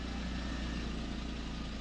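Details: 2004 Volkswagen New Beetle after replacing pre-cat oxygen sensor for P0030 code, no codes returning: steady, even low rumble with no misses, ticks or surging; normal idle.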